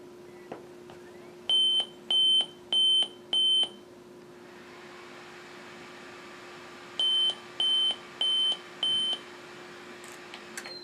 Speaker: so what you see there is the computer refuses to start and denotes a four beep tone bios code as well as it kicks the fan up